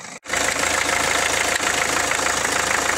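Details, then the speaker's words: Renault 1.5 dCi diesel idling: sharp fairly regular ticking knock about four per second; injector seat leaking compression, not a bottom-end knock, noise quietens when water is poured on the injector. "هذايا الصوت هذايا هو تنفيذ في الانجكتور يعمل تنفيس هذ ماشي كانه كانه حاجه تضرب في المحرك الداخل هي لا هو تنفيذ"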